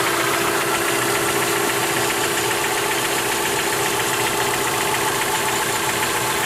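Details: 2003 Mitsubishi Lancer, stock, 162k miles, oil changed and full, evap leak code P0456: light steady ticking about four per second over a smooth idle; lifter tick suspected, source unconfirmed.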